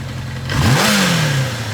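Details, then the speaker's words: 1983 Kawasaki KZ750 Spectre four-cylinder, 22,000 miles, carbs just rebuilt and being tuned, idle around 1500 rpm: sharp throttle blip, revs sink back slowly over nearly a second instead of snapping down; revs hanging after blip. "Motor's going down a little bit. I really like that. See how it's hanging a little bit?"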